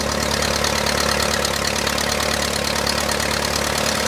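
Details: 1959 Case 300B (311B) tractor, 4-cylinder gas engine, parked 10 years outside after overheating from a stuck thermostat; after filing the coil points it runs at a steady, even idle thump of about four beats a second, no misses or knocks.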